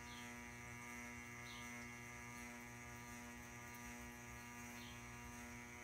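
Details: Ceiling fan running: steady loud buzz with mains-like hum under the running whir; cause unknown, owner assumes electrical.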